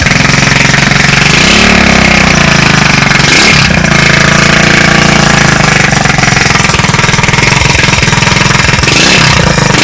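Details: Street-legal go kart's small single-cylinder engine, first run after sitting 5 years, with a new carburetor and a temporary push-mower fuel tank; loud steady chugging with a couple of quick revs, running cleanly; normal running.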